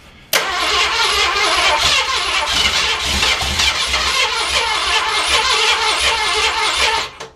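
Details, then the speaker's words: Carbureted project car fed from a lawn mower gas tank through the hood hole: starter cranks steadily about seven seconds, nearly catching but never running; crank without start from carburetor fuel starvation. "I'm trying to put gas in here and get it to go down this fuel line to that carburetor if I can ever get it to start drawing I think it'll be all right"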